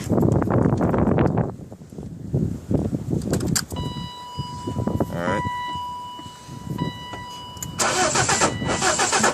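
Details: 1995 BMW 318is no-start: the starter churns for about a second and a half and the engine never catches, then only chimes and quiet. Cranks but will not start.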